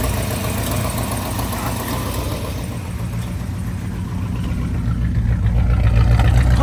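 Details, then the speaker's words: 1965 Ford Thunderbird with mild-built 390 big block, run after sitting two years with starter issues: lumpy V8 idle with an occasional soft stumble and puffing, pointing to an ever so slight misfire plus a header leak. "Sounds good. It's got a I think it's got an ever so slight misfire. You can hear just a little one."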